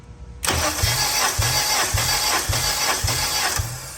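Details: Compression test on one cylinder of a car, five cranks with a compression gauge fitted: cranks at about three even pulses per second, six or seven strokes with steady rhythm; reads about 152 psi, even and healthy.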